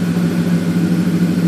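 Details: 2007 Ford F150 5.4 V8 idling after new Bosch fuel injectors were fitted for a misfire on cylinders 1 and 7: steady, even idle with a slight pulse, no stumble; fuel rail pressure at the desired 270 kPa.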